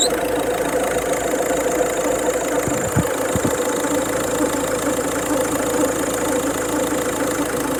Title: Weird noise, I have stripped it all down now pulleys/tensioner/belt look ok